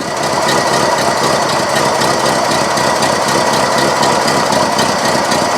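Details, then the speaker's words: 1970 Cadillac Sedan DeVille after new cap, plugs and wires, heard at the tailpipe when revved: uneven, stumbling lopey exhaust beat, missing and laboring; carb kit planned, cause not confirmed; engine misfire. "not right yeah it's missing carrying on sounds like it's laboring to run just not what we want to sound like when we're cruising around in our old caddy"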